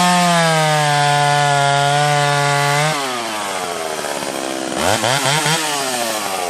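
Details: Freshly ported Stihl 031 AV chainsaw: strong high buzz holds steady, drops and climbs again as it bites wood; crisp clean pull, running better than ever; normal under load.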